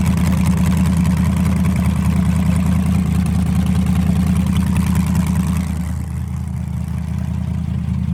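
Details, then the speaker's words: Nitrous car after an engine rebuild. A deep, regular knock over a rough, loud idle gets much louder when revved, pointing to bottom-end trouble. A rod bearing on one rod is suspected but not confirmed. "it started actually sounding worse yeah I'll just say it's we got bottom end problems"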